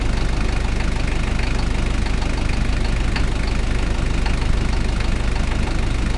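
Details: Toyota 1KZ-T diesel engine idling: steady regular knock about two per second over the low rumble; engine knocking noise, source unclear.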